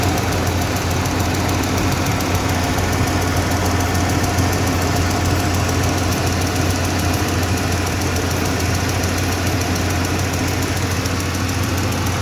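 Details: 1995 Ford F-150 5.0 V8 idling with a fast, light tick that follows engine speed, apparently from the driver's side of the engine; source not yet found.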